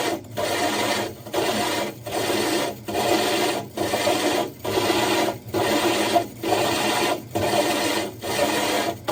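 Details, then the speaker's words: Diamond hole saw drilling aquarium glass (60 breeder tank): gritty rasping cut in steady bursts about once a second as drill power is fluctuated and pressure lifted and reapplied; controlled, healthy cut. "And if you could hear the drill, he was actually fluctuating the power of the drill. That way he's in control of it."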